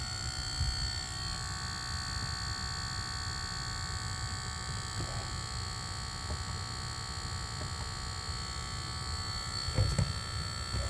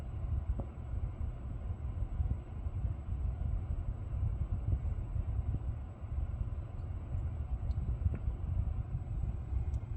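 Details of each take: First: Lucid electric car with a buzzing noise that switching driver profiles did not clear, heard during a reset: a steady high electrical buzz with several fixed tones over a quiet background; it stopped after a later logo reset, cause unknown. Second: Lucid electric car after a logo reset (switching profiles and another reset hadn't cleared the buzz): only low, even road rumble with a few faint ticks, no buzzing or whine; drive sounds normal.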